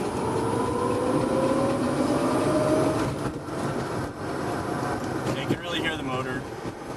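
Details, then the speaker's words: Electric VW Beetle conversion driving: clear motor whir climbs with speed through a gear at the top of the power band, then drops after shifting; normal electric motor whine. "Then when you switch gears, then it goes back down. Thinking that whirring sound, that's about it. Because you're at the top of the power band."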